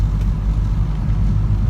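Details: 2003 London Taxi International TX2, 287,000 miles, driving after a gearbox fix for a vibrating wa-wa-wa noise: steady low drone with only road rumble, no pulsing wa-wa on the bend; gearbox seems cured, normal driving.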